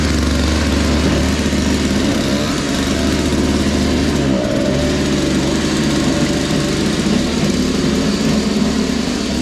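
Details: Toro Powerlite single-stage snow blower, model 381182, 98cc two-stroke, 16-inch, clearing a sidewalk after warm-up; steady, even drone holding speed under load without misses or surging.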